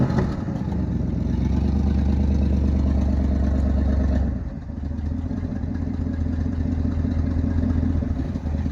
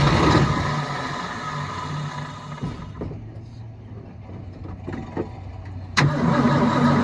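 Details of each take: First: 1972 Ford F-350 V8 auction truck after getting it running: deep even rumble rising on a throttle blip and settling smoothly, no valve clatter; sounds and runs good, owner suspects a minor exhaust leak on one side. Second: 1972 Ford F-350 auction truck, carburetor bowl hand-filled: catches and runs roughly a couple of seconds, then fades and quits; fuel pump not delivering fuel, so it starves.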